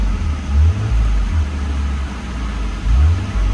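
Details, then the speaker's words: 2000 Nissan Skyline R34 GT, non-turbo, manual, low kilometers, warm on a very hot day, check engine light on, needed a jump start: even idle with quick throttle blips rising and settling cleanly; RPMs fine, healthy. "And just in case I have a phone overheating issue, I'm going to go ahead and do the car running video. RPMs are fine."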